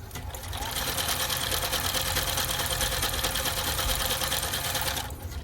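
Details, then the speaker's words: Juki F-600 sewing machine after repair (needle bar set too high corrected, broken gear from a failed earlier repair replaced, timing resynchronized): smooth, steady whirr with fine rapid needle tick, no knocking or grinding; straight stitch test runs healthy, stitch good. "Stop it, cut the thread, perfect. Stitch is good, I like the stitching."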